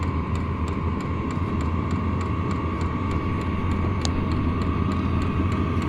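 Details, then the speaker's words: Vevor 5 kW diesel heater running with no exhaust muffler: steady whirring hum with a harsh, unmuffled exhaust roar and regular faint fuel pump clicks. "That's without the muffler."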